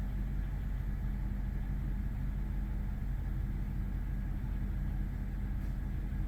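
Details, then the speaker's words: 2005 BMW 745Li V8 just after a hard start after sitting almost two months, low fuel, cold and warming up: deep, steady low rumble with even beat, no ticking or knocking; normal cold idle. "no it's not bad kind of quieted down already a bit which is good"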